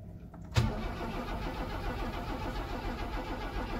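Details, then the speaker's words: 1979 Opel Monza Series 1 barn find, first start attempt after fuel tank install: the starter spins the engine steadily with no firing. Crank, no start, because no fuel reaches the rail; none flows from the main feed line while cranking. "however we're getting no fuel up to the rail we popped off the main feed down here and we we've turning the engine over no fuels coming out"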